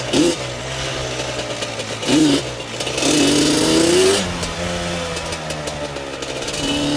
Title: weird noise